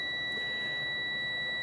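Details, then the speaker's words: 1991 Dodge Dakota SE 5.2L V8 windshield wiper motor, tested, blowing fuses; steady high continuity beep between motor and case, which should never beep, showing a shorted armature grounding to body. "So somewhere in the motor itself we have a shorted armature. Therefore it's short to ground, shorts to body ground."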